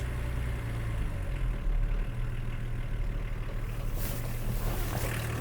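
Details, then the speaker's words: BMW E34 diesel, after cracking lines to bleed fuel: low clatter settling into an uneven, wavering idle with viscous fan whirring; air bubbles seen in the fuel line, air suspected in the fuel system, part needs replacing. "There's air bubbles in that, look. Oh yeah. Look at them bubbles in there. I bet that looks pretty rusty. Look at that. Could be getting air in there. You can get air anywhere on the fuel system."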